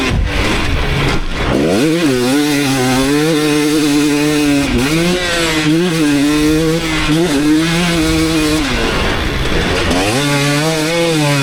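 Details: 2019 KTM 250SX two-stroke after Lectron Billetron 38 Pro carb tuning, ridden under load: crisp pickup, no ping, well jetted and running right; slight detonation heard only when hot, maybe needs an eighth turn more.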